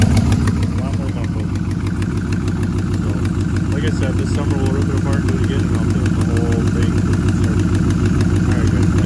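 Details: Chevrolet Trailblazer SS, 176,000-mile all-aluminum LS2 6.0 V8 with Kooks headers (header warped, rear stud missing for 4 years), at idle: steady deep rumble with even pulsing, maybe a faint tick; exhaust manifold leak suspected, not confirmed.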